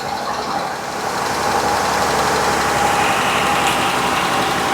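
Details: 2014 Dodge Grand Caravan with steady check-engine light and code P0305; plugs and coil already replaced elsewhere, engine visibly shaking: uneven, slightly lumpy idle with a recurring stumble, cylinder 5 misfire; coil-unplug tests set no coil circuit code.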